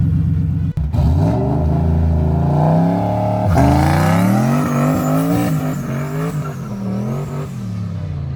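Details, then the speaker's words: Car (Mustang per uploader handle, V8 per sound) driving after heads were pulled and rebuilt, about half an hour in and running great under throttle: revs climb cleanly, drop on each shift and climb again, no knocks or misfires; normal revving. "But it's running great right now. It's amazing for it to be done. Sounds good. Everything's going smooth."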